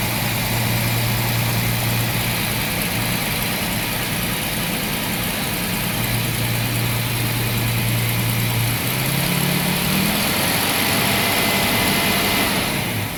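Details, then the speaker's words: Jaguar XJ-S V12 HE, off the road almost 20 years, idling and revving, listened at the exhaust on each bank: A bank sounds fine, B bank lumpy and uneven. It is misfiring, plug leads are confirmed seated, and the owner suspects the coil, amplifier, distributor or an injector. "right driver side exhaust a bank let's go to b bank rubbish that's not right at all"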